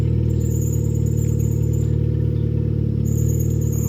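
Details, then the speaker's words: 2005 Nissan Sentra on ramps, its power steering recently repaired but failing again: steady engine hum with a thin squeal coming and going as the steering loads up; a loose power steering belt needing tension is suspected. "you guys can hear that i hear a little bit of squeal coming from the belt as i you know put pressure on the power steering system"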